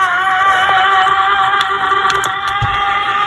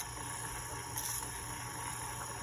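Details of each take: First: c1964 Stuzzi reel-to-reel tape recorder with non-original replacement motor, polarity reversed to run the correct direction, bare metal motor gear. Steady whirring with a rough gravelly growl from gear meshing: motor drive gear growl. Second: c1964 Stuzzi reel-to-reel tape recorder after fitting a new replacement motor and motor mount, tape transport running. Even, steady motor hum with constant faint high whine, no speed wavering or scraping: normal running.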